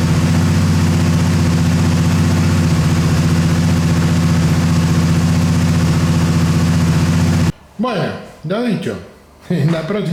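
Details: Motorcycle, after repair of a starter solenoid that clicked without cranking: a steady, even idle with a low, regular beat and no clicks or misses for several seconds; the engine idles healthily.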